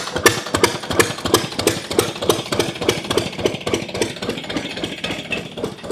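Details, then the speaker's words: Old Glonet single-cylinder diesel finally running: slow, even thumping at roughly three and a half beats a second with crisp, clean firing; governor spring tension varies the speed somewhat; running well. "All right. Well, it's running pretty good there."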